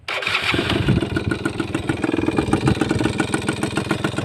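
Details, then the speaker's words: Suzuki Crystal two-stroke motorcycle, hand-start model, started and idling: crisp rapid two-stroke idle with only a faint mechanical rattle; normal running. "เบาปกตินะครับมีเสียงเครื่องดังนิดหน่อยนะครับ"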